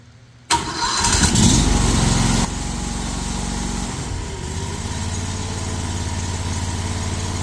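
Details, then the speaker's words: New Harbor Freight Predator V-twin engine powering the hydraulics of a 5-ton well-pump crane on a trailer, first start: it catches at once, flares briefly, then settles into an even, steady idle, starting and running cleanly. "Fire right up. Yeah. Just like the other one, you can range it and do everything in idle."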